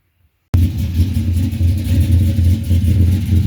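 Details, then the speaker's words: Cammed LS Silverado at first start after top-end upgrades (FAST intake, ported heads, 1000 cc injectors, long-tube headers): loud, loping idle with an irregular stumble, about four uneven beats a second; dead cylinder and fuel smell, suspected non-firing injector. "you can hear the mess in it I know it's kind of loud I smell the fuel got a dead Miss got an injector that's not firing at all"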